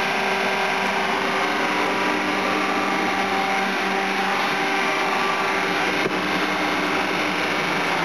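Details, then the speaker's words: Kitchen exhaust fan motors running: steady, loud whirring hum with a fixed whine on top, unchanging; owner thinks the fan shouldn't sound like that and is too loud, though it works and bearings seem good. "I've always got a weird sound from those motors."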